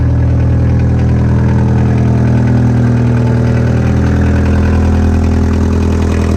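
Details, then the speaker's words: 1979 car with a 1.5 liter diesel engine: a steady low idle with a fast, even diesel clatter of about four beats a second and no misses; a healthy small diesel. Normal idle. "So, it has a 1.5 liter engine, and as you can hear, it's a diesel."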